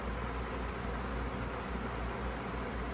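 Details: Feature Comforts FT30-3D table fan, needing a clean, on speed 2 (medium): steady, even airy whoosh with a low hum underneath, no ticks or rattles; runs normally.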